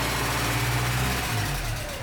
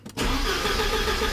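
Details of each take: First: 1986 Porsche 944 Turbo (951), after sitting over a year with a fuel-related no-start, runs steady and even with no misfire or knock, then switches off cleanly after a blown fuse 41 was replaced; normal start and run. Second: 1986 Porsche 944 Turbo (951), sat over a year after cutting out while driving: starter spins the engine steadily with no firing at all; cranks but won't start, gauge on fuel rail shows zero fuel pressure; fuel pump or circuitry suspected.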